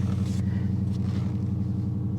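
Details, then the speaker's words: Dodge Challenger with Hemi V8 (not Scat Pack or Hellcat) at a dealer auction, idling: deep even rumble, smooth regular pulse, no ticking or knocking; healthy idle. "just a Hemi I don't know that just a Hemi sound pretty damn good to me"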